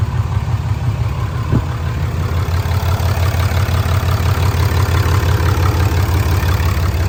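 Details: 2016 RAM 2500 Mega Cab 4x4 diesel, 36,737 miles, cold start after oil and oil filter change: cranks and catches quickly, then settles into a steady, even clatter at about three beats a second; healthy idle.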